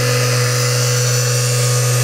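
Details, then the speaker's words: Repaired SBL-40 motor-generator inverter from a 1960s Nanchang CJ6A, fed 24 VDC and producing 36 VAC at 400 Hz. Steady, even hum with a clean fixed tone and no wavering or knocks: the motor keeps steady speed, normal running. "the motor amazingly uh keeps it steady speed it's rock solid it's amazing being this old"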